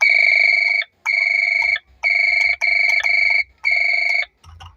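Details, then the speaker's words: Cordless long-range doorbell, after repair of low sound via speaker coil check/fix: loud, clear electronic chime repeating in one-second bursts with no crackle; volume now much higher than before; normal chime. "तो देखिए अब आप इसका जो sound है वो काफी increase हो गया है पहले काफी स्लो साउंड इस डोर बेल में ए रहा था"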